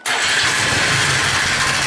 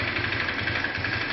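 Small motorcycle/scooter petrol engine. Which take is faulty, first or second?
first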